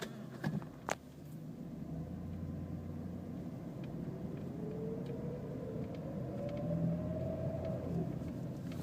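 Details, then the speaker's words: 2010 Jeep Liberty accelerating in first gear: faint whine at about 1500–2000 RPM, pitch following RPM, gone after the shift to second and absent in park or neutral; owner suspects torque converter or a transmission bearing. First-gear whine. "okay whining noise from about, 1500 to 2,000 RPMs does not do it in park"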